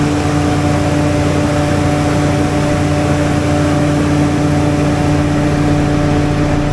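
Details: Standby generator started in manual mode, starting voltage 279; loud, steady low drone with a constant note and no misses, knocks or surging. Runs smoothly.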